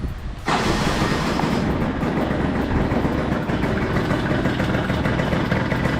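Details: Piaggio Skipper 150cc scooter, cold morning, after repair for seized piston and loud engine with piston rings replaced: steady, even single-cylinder idle with smooth low thrum, no knocking or rattles; engine runs healthy.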